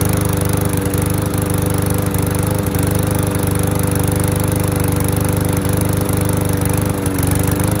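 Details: Curbside MTD lawnmower single-cylinder: steady, even putter at constant speed with no misses or surging; running normally.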